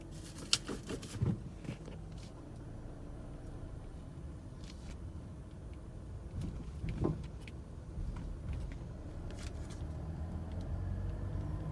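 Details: 2017 Mazda CX-9 going over speed bumps, clunking/knocking persisting after dealer replaced lower control arm; sharp knocks and dull thump over road rumble, suspension clunk.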